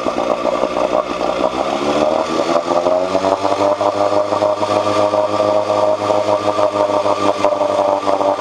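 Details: 1986 Johnson 4 hp Seahorse two-stroke outboard after cleaning water passages for overheating: smooth, even buzz settling to steady pitch after a brief rise, no misses or knocks; head temperature down from almost 190 to about 80–120.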